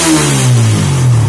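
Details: Suzuki Satria F150 after cylinder head refit and tuning. Loud, steady low exhaust drone with smooth, even rev changes, quick response, and no misses, knocks or rattles. Engine revs normally.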